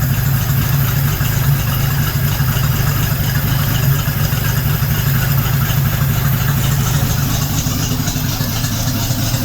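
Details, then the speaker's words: 1976 AMC Gremlin stored 36 years, restarted after gas poured down the carburetor: steady deep idle, even low thrum, no ticking, knocking or hunting; normal idle. "Let's just crank it over a little bit, see if it starts back up. Looks like it's working. Heck yeah. Not bad."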